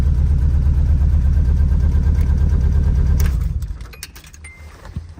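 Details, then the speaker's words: Nissan 240SX with a newly rewired chassis harness, just started after fixing the clutch-switch wire and fuel pump: uneven, lumpy idle stumbling about three times a second before dying. The cylinder-one spark plug looks never fired, a misfire. "If you look, this is the spark plug from cylinder one. And it looks like it is not fired at all."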